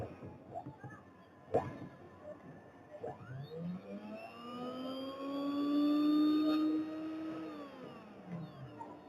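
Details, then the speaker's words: Juicer motor refitted and checked through a series test lamp: whines up to a clean steady high tone, holds it, winds down smoothly with no grinding or rattle; motor running correctly. "बिल्कुल सही काम कर रही है मोटर।"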